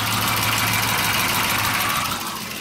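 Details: 1992 Volvo 240 DL, retrofitted to R134a, transmission service at 113,000 mi: steady, even idle with smooth hum and some hiss under the hood; engine sounds healthy.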